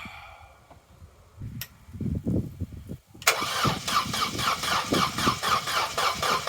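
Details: Corsa B left standing 4–5 years, one gallon of fresh fuel added, cranking attempt: sluggish, dragging turnover at about four even compression beats a second, never catches; slow cranking, no start; owner suspects the battery, unconfirmed.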